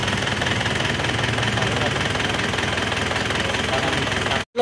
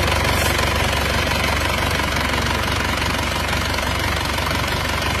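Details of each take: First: Isuzu Panther diesel after rebuild for blow-by caused by coolant loss, with cast liners and old pistons: even idle clatter with a steady beat, no stumble or odd knock; runs smooth, no smoke, oil filler breathing fine. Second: Isuzu Panther diesel that ran out of coolant near the water pump, leaving scored liners and pistons and heavy oil leaks (3 L used in 100 km): steady idle with loud, rough chuffing and uneven knock-like pulsing from severe blow-by.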